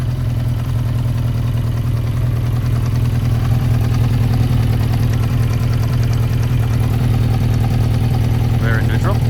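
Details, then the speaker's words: 1992 Yamaha XJ600 Seca II after carburetor work and an oil top-up: steady low idle with a slightly uneven, lumpy beat. Cylinder two reads 180 against 420–440 for the others and sounds off. Rough running, cause unconfirmed. "So, what is wrong with number two? Number two sounds like it's off."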